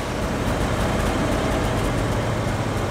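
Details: 1969 Fargo 500 (Dodge) dump truck with old Dodge engine, first run after sitting: steady even low rumble at idle, no knocks or misses; engine running healthy (brakes not working).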